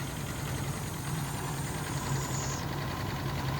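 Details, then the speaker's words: Mercury Capri Turbo RS turbo four-cylinder, first run after 23 years: a low, slightly uneven idle with a faint airy hiss from an open vacuum port, running super lean from vacuum leaks. "Probably more vacuum leaks, so it's running super lean. Let me spray a little bit around here. There's a leak somewhere in here. I can hear it too."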